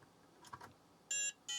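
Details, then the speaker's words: Book8088, an 8088 IBM-compatible laptop with an intermittent no-boot fault. After reseating the chips it gives two short, high-pitched POST beeps, the second longer; a flaky Harris bus controller chip or its solder joints are suspected, and a reflow is planned. "all right yeah it's got to be this Harris chip maybe I should just Reflow these solder connections"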